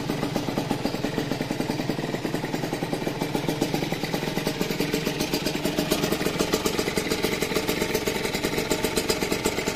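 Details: Restored Rieju RV on first start after an engine rebuild: a fast, even popping exhaust beat at a steady idle, no rattles or misses; healthy, settled idle.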